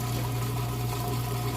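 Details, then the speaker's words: Kenmore super-capacity top-load washer on heavy duty, moving from wash to rinse: a strong, steady pump hum with water rushing through, even and unbroken. Normal drain pump operation. "it out that water nice and strong just like it's supposed to"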